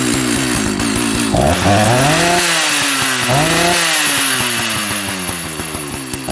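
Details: Old Jonsered 930 project chainsaw restarted with covers on and bar oil added to check the pump: at high idle the pitch swoops and sags unevenly, cause unknown. The owner plans to reset the carb screws one turn out.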